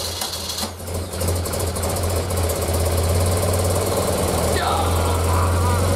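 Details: 1976 BMW R100S airhead boxer twin, dealer-rebuilt 20 years ago and stored unrun, carbs untouched and untuned, very cold, first run: engine catches and settles into a steady, even thumping idle, slightly lumpy but running cleanly.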